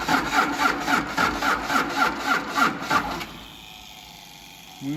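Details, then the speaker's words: 1953 Mack A40 with a swapped-in 24-valve 5.9 Cummins diesel from a school bus, on weak batteries plus charger and jump pack, injectors cracked. Starter cranks at an even beat of about 3.5 per second but it never fires; owner suspects too much compression. "key on contact Oh I thought she was gonna go come on girl contact [Laughter] just too much compression in the old girl"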